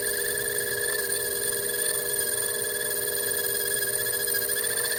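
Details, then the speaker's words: Lathe boring with a flipped boring bar, slow speed and slow feed, making a DIY gunsmithing bench block: bright, steady ringing over the cut, boring bar chatter inside the bore. "Go ahead and feed it pretty slow as well, just because you can hear it. On the chatter."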